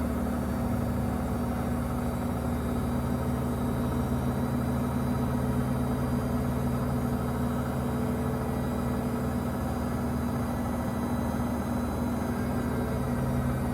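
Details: Samsung 2023 front-load washer WW25B6900AW/A2, 5 months old, buzzing since first month: constant loud low electrical buzz at one steady pitch, about 70 dB, louder when no water left to drain; cause unknown.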